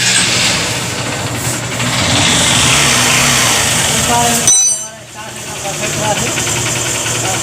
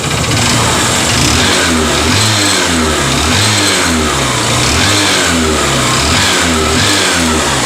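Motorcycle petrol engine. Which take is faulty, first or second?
second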